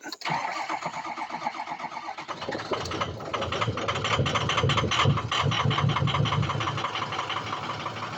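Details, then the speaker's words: Truck sat overnight, self-test showed only two injectors firing: long crank before catching, then rough idle with sharp rapid clacking over the rumble, exhaust not choppy; hard start with clacking, owner suspects injector harness. "little difficult to start, a little clacky. I can hear it clacking."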